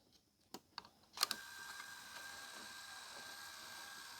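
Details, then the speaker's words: Hitachi 32-inch TV/DVD combo, model VC326000, DVD won't load or eject: sharp clicks then steady low motor hum as loader runs without catching the disc; motor and gears spin but end gear doesn't, suspected stripped or cracked plastic gear. "It starts to turn these. I reckon we've got a stripped or cracked little plastic gear."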